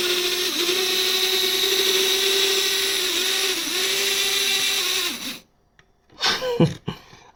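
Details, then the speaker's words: HO-scale monorail, unused for a while, straining on elevated track and derailing: a high, steady electric motor whine that dips a few times and then cuts out as the wheels slip; cause unconfirmed. "what are you doing it sounds like it's [Music] dying can you imagine a monreal wheel slip right"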